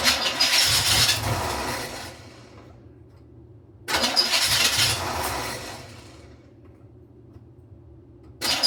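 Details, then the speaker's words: 1986 Camaro Z28 350 small-block V8, carbureted project car, leaking braided fuel line: two long bursts of quick, even cranking about three and a half turns a second, never catches; fuel starvation, new fuel line needed though pump pumping. "All right. It's definitely wanting to start up. Just this needs a new fuel line here. That's not going to work at all."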